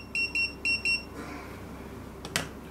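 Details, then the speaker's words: TD158 wireless guest pager in charging base after setting reminder duration to 10 seconds; four quick high-pitched double beeps with light flash confirm the setting succeeded. "you can uh you can hear the big sound and the light flash which means we succeed"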